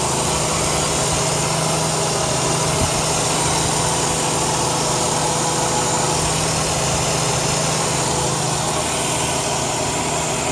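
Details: 2002 Chrysler 300M at steady idle: a constant airy hiss over the engine hum, a vacuum leak from a bad intake manifold gasket.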